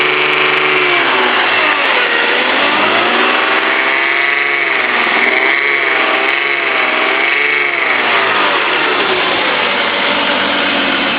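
Light, quick ticking about four per second rides over the engine at idle and through revs, pointing to a top-end tick of unknown cause.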